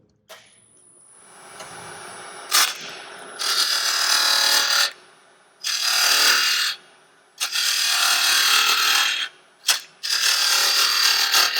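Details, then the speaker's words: Wood lathe turning a burl-and-resin sphere with a half-inch fingernail-grind bowl gouge: bursts of harsh rattling chatter while working the bottom; a negative rake scraper can clean it up. "you kind of hear that chatter with a bull when not negative rate will sometimes shatter on you"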